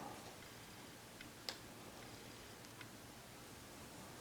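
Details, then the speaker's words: TimeUSB lithium battery on its charger, near full: the app reads 100% and 13.8 V, with the BMS showing yellow for overcharge protection. Faint, irregular sharp ticks come from the charger, not the battery, as it switches into maintenance mode. "I happened to hear this noise this ticking sound and I was like what in the world is that noise so it sound like it was coming from the battery what it's coming from is this charger and I'm going to guess that we're almost charged"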